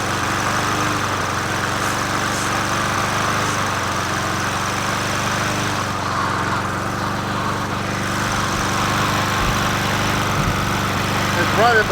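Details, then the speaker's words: Old free Murray 20" push mower #20201D, missing gas tank, carburetor just coaxed into running, no air filter fitted; single-cylinder runs with an uneven wavering beat and no steady rhythm — rough running. "we're killing the mosquito better it runs yeah it runs yeah it runs"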